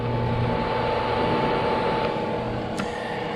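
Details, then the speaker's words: CYCPLUS AL7 tire inflator after inflating to about 42 psi: steady small-fan hum with a constant thin whine and no rattle; active cooling fan engaged and running normally, warm air venting from the top. "So, you know, that tells you the active cooling is engaged and working."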